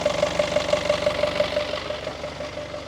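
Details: Marine diesel with a new Arco Zeus alternator regulator, idling after fuel filter replacement and priming (slight stumble on start), earlier smoke and no high RPM traced to the turbo: steady even idle, turbo now audible; runs normal.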